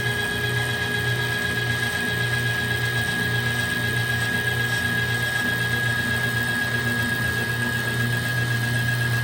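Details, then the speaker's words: Old kitchen trash compactor after refitting the popped-off drive chain; steady motor drone with faint constant gear whine, no knocks or slipping, as the big gear turns and the ram returns up, shutting off at the top. "So now you can see it turn in a big gear. And the ram, it's on its way back up, down there. And then when it gets to the top, it'll actually shut off."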